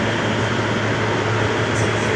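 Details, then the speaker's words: Old Traulsen fridge converted from water-cooled to air-cooled with salvaged walk-in condenser coil, just charged with R134a and started: constant whooshing condenser fan, low steady hum, no rattles or wobble; running normally. "section's still a little warm i just turned it on so give it a break but here it goes see could be done it's running"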